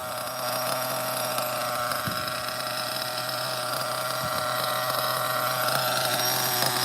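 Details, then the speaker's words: OFNA Ultra MBX buggy, Hyper 21 nitro engine with 2-speed, just started after priming, checking idle: high steady buzzing whine with blubbery edge, running very rich but spinning well. "Very rich. Very rich. I'm just checking the idle, okay? Very, very rich. But definitely spinning good."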